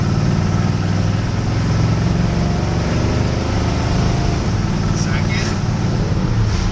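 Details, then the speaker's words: Chevy truck with 305 V8 on test drive after transmission install: deep steady drone, smooth shifts with no slipping, flare or clunk; header leak noted; transmission works. "third well that's a good deal so far it dri is pretty good runs pretty good for a 305 still a screamer but the transmission works I think it's going to be okay"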